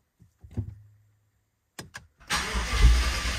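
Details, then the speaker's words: BMW 750Li project first start after a no-start: a few liters of fuel were added and the fuel gauge still doesn't move (fuel pump suspected). It cranks briefly, fires, runs roughly a moment and dies. Fuel pressure may still be building. "oh yeah oh yeah yes sir okay well it died pretty quickly there sometimes it takes a little while for fuel pressure to build up so we'll try again"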